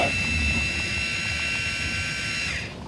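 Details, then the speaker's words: Electronic ball dump valve on the gray water tank of a Ram Promaster 3500 Extended van build, switched on: a short, steady, high-pitched motor whine for about 2.5 seconds, then it stops. The valve is opening normally. "So it's just a two-parter here. Turn it on. You can hear it opening"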